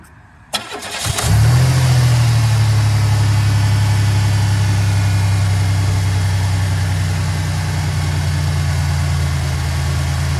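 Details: GM 3800 Series I V6 after oil pressure switch replacement and belt reinstall: cranks briefly, catches cleanly and settles into a steady, even low idle with no belt squeal; normal start and idle.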